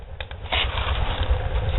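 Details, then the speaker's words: Homemade barrel woodstove with modified air intake, door opened slightly; low uneven rumble with crackles swelling from the firebox as the fire struggles for air; air-starved combustion rumble. "I just open the door just a little bit the rally me is not suck enough air now I get more air that's what that rally is it's trying to find"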